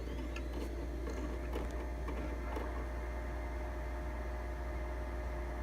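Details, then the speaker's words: Original Xbox (1.0) from a closed game store, fault unknown: very loud steady hum and whirring drone on power-up, far louder than a second quiet Xbox; fan running too noisily, before cleaning and repair. "but anyways the only thing so far is that when you turn on it is really really loud"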